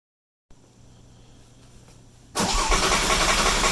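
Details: Porsche 997 Turbo after engine-out repair, new water pump and thermostat, pressure tested: faint hum, then quick clean start into steady even idle with no ticking, knocking or miss; normal start and idle.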